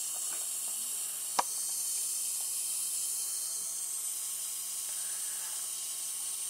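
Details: MFJ-4275MV switching power supply, powered on: a faint steady frying hiss with one sharp crackle, identified as bad capacitors.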